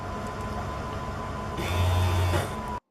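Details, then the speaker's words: Trunk pulldown motor on a car, tested after checking wiring: a short steady electric whir with a slight rise under load before stopping shows the motor gets power and runs normally; the bracket is suspected of sticking. "So now we know we're getting power to the motor and the motor is working."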